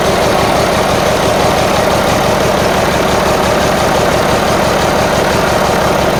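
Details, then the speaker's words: Marmon 57P Aero truck, newly installed diesel engine at first start after fueling injectors: heavy idle with stumbling, irregular thump under the clatter; sounds like it's missing, not all cylinders firing, cause unconfirmed. "hold on we gotta feel like no we just got to get the idle sounds like it's missing on uh yeah yeah all right let's try it again"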